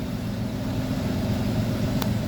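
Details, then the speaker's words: 2005 Monte Carlo 3.4L that fires right up after a starter replacement: steady, raspy idle rumble, louder and rougher than it should be. A pretty bad exhaust leak is judged present and is to be fixed. "we're going to turn the ignition and it fires right up okay sounds like it's got a pretty bad exhaust leak to win because it's my mother-in-law's car we're going to go ahead and fix that too before it comes back later"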